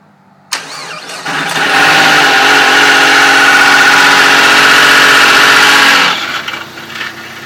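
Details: Dodge SRT-4 after a new OEM clutch install: engine cranks and catches with a loud, harsh whirring rattle that fades as it settles to idle. Owner suspects throwout bearing or clutch slave cylinder.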